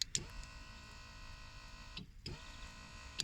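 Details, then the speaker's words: BMW K1200 in-tank fuel pump heard at ignition on. Smooth high-pitched whir of about two seconds, clicking on and off twice, steady in pitch; the pump is spinning and priming. Normal fuel pump operation. "But if you can't hear that sound when you turn your ignition on, your pump's not spinning."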